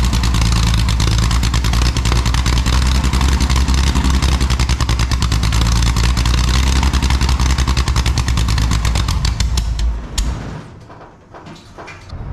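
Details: Scratch-built Jaguar D-Type replica with a homemade exhaust, recorded without its built-in silencers: very loud, raw, crackling exhaust pulses through a rev, then dropping away.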